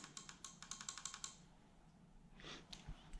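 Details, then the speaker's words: Start relay on bench for a Link ECU wiring job on a 3UZ V8 set up as 1UZ VVT-i: about a dozen quick sharp clicks in just over a second, relay chattering instead of latching; suspected bad contact, relay to be replaced. "this is my start relay so I've got voltage in is an earth on this side here's my output and I energize it here now I can hear that clicking"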